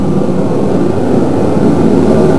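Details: Kerosene shop heater running in a roughly 46°F Pennsylvania shop: steady, even roar from burner and fan with no surging, flutter or rattles; normal running.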